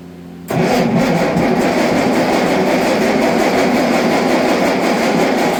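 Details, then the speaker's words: Allis-Chalmers D19 tractor that sat about 20 years, first run after new plugs and ignition work, choke off: engine catches and runs a few seconds roughly and unevenly, won't keep running; owner suspects a fuel issue and plans to check the carburetor. "Well, you got her to run. She doesn't want to stay right. So, is it a fuel issue?"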